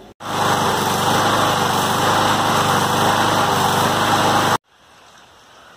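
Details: Craftsman Eager-1 6.75 hp push mower, previously hard to start, after carburetor cleaning with fresh fuel and three primes; the single cylinder holds a steady, even buzz for about four seconds without stumbling, then shuts off.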